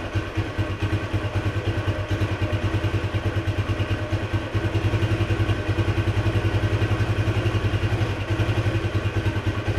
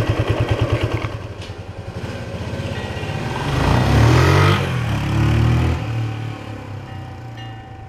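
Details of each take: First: 1976 Honda XL175 single-cylinder after restoration, riding under load: steady thumps with a slight surge, and revs rise without matching pull. The clutch is slipping, even worse than before. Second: Restored 1976 Honda XL175 single, first ride after restoration with the clutch adjuster just set: even thumping idle, then a clean, strong rise in revs under load with no flaring or slipping; clutch grips, normal acceleration.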